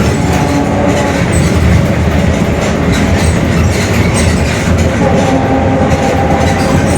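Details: Mercedes-Benz OF-1721 Bluetec 5 extended urban bus, Mascarello GranVia Midi 2014 body, built 2021, underway: a heavy low driveline rumble with faint steady tones over the road noise, from a growling rear differential.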